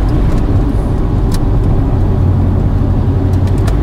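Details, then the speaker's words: JDM Subaru Forester, cold running after warm-up enrichment table changes in the ECU remap: a steady, even low drone with no stumbling. The cold stutter is about 90% better. "yeah so I think that problem is as good as gone maybe not 100% gone but certainly 90% better"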